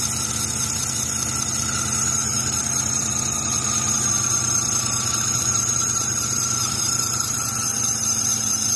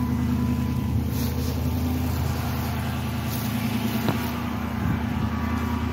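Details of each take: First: 2006 Chrysler 300 at idle, squeal on cold startups: constant high steady squeal; belt uncracked, alternator pulley rusted, but the noise seems to come from the idler or tensioner pulley, with their bearings suspected; serpentine belt squeal. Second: 2006 Chrysler 300 after serpentine belt drive work, cold idle the next morning, after the owner's complaint of loud belt squeal on cold startups: even, steady idle with a smooth low drone and no squeal or chirp; normal cold idle.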